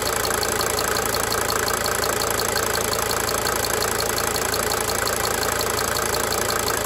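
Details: 1992 Mercedes-Benz 300D 2.5 turbo diesel at steady idle: sharp, light ticks repeat about three per second over the even diesel clatter, cyclically fading in and out. Diesel injector ticking.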